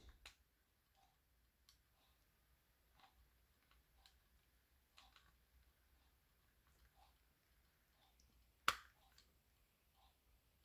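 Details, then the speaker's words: Tiger Electronics LCD Simon's Quest handheld game (late 80s/early 90s), cleaned and powering on, before speaker replacement: only scattered very faint ticks and clicks over near silence, far quieter than it should be; speaker output weak. "you can hear some very faint sounds so I I think it's working to a point um but I know they're definitely supposed to be a lot louder than this"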